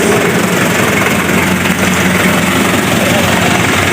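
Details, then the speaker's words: Daihatsu-engined Taft GT diesel after piston overhaul (complaint: limping at cold start, smoke, high fuel use; nozzles and pump previously set), idling: steady, even clatter, no missing beat or stumble, exhaust not smoking; running normal again. "Berhasil kawan, alhamdulillah normal kawan."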